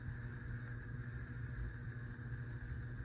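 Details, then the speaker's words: 52-inch Hunter Pro's Best 5 Minute ceiling fan on high speed, not on a dimmer; only two of three speeds work. Steady low hum with a faint higher whine; buzzing blamed on a bad capacitor, to be replaced. Fan also wobbles slightly. "It's not a dimmer switch, but the reason why it's buzzing is because it's on a bad capacitor."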